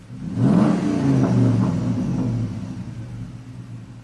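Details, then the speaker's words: 2004 Ram 1500 5.7 Hemi V8, 106,000 miles, P0300, with both bank-two O2 sensors unplugged, long-term trim at -30 and codes cleared: revs up, then a lumpy, uneven rough misfire from excessive negative fuel trim. "let's clear the trouble codes I want to see if that resets the fuel trims now it's read live data again just long terms all the o2s and short terms fire it up okay it's running like garbage"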